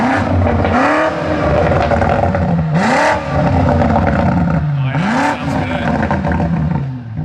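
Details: V8 revved three times with crisp blips that rise and fall cleanly, pulling up smoothly and dropping back without stumble; healthy revving.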